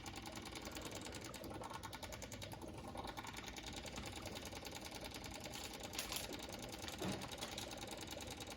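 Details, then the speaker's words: John Deere 2038r with key on and new fuel filters: fast steady ticking buzz of the electric fuel pump as air bubbles through the filters, priming until the noise settles. "you can hear your fuel filters bubbling and once your fuel pump stops making that weird noise and it sounds like it's got good very good prime i'm going to cut it off"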